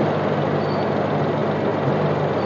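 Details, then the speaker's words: Maruti Wagon R petrol engine idling smoothly and steadily after fixing post-service hunting/misfire by checking and resetting spark plug gaps; no misses or hunting, normal stable idle. "जैसा की ये गाड़ी start हो गई है और मिसायरिंग up कर नहीं रही है ना गाड़ी हंटिंग कर रही है गाड़ी स्टेबल कंडीशन में है"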